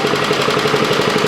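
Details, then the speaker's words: Toro Commercial mower with Kawasaki FJ180V engine, after a new carburetor and a correctly placed anti-surge spring fixed surging: steady, even fast run with no hunting or surging and good throttle response; normal running, RPM to be set about 3250. "It's got good throttle response. Set your RPMs to about 3250 and you'll be good to go."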